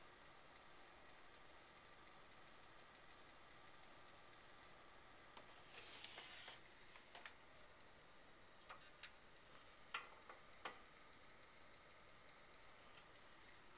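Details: HP Pavilion HPE desktop just after waking from sleep: sharp, irregular clicks in bursts over the fan hum, lasting 3–5 minutes then stopping. The owner suspects the hard drive; one blue screen occurred once.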